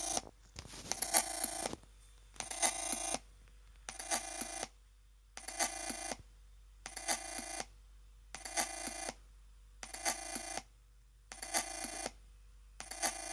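Bright phone-like chirps come in bursts about every second and a half, with silence between; an unexplained electronic noise from the laptop.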